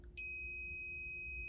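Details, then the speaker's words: Mackie DL06 digital mixer, no power: diode lifted out of circuit and tested on multimeter diode check gives a steady, unbroken beep, a full short, so the diode is bad. "So it's beeping. It means that this is a full short. So this diode is bad."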